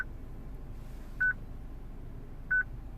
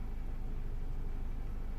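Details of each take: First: 2006 Citroen C3 petrol, radio on: short mid-high beep about every 1.3 seconds from replaced used radio, which otherwise works; security beep from VIN mismatch, fixed by programming radio. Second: 2006 Citroen C3 petrol with replaced used radio: after the new VIN is programmed and configured, the constant security beep stops, leaving only a steady low vehicle rumble.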